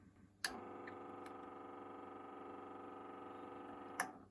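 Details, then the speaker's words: Neostar NTCD1V CD/vinyl/cassette turntable, before the sewing-machine-oil fix: the belt-drive motor clicks on and runs with a loud, steady buzzing whine from a dry bearing; it gets even louder with the plastic belt-tensioner part fitted. "this is the motor that drives the drive Bell on the turntable see how loud this is"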